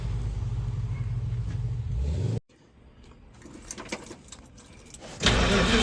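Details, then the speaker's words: 1970 Dodge D100 pickup V8, first start after cam swap with DLC lifters, before tuning and cam break-in: steady cranking stops, short spell of clicks, then the engine catches and fires evenly; normal start, already sounding better as lifters pump up. "Well, that's already better. I get the lifters pumped up. That's already better."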